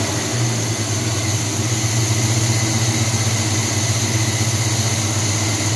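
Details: 1978 Chevy C10 350 V8 after new Edelbrock intake, water pump, belts, thermostat, hoses and valve covers, carburetor still untrusted: smooth even idle with steady low rumble, no miss or knock; purring, much better than before when it misfired.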